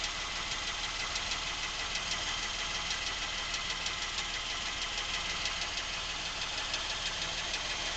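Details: Nearly new Lincoln MKX, 7,000 miles, at idle: sharp regular ticking knock about three per second, seemingly from the rear of the engine, present since new and worsening; dealer could not hear it, cause unknown.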